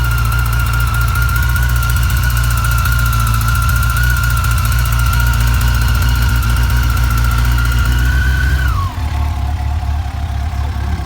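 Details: FJR 1300 motorcycle engine running steadily with an irregular light rattle over it that fades as revs drop. Owner suspects the timing chain; cause unconfirmed.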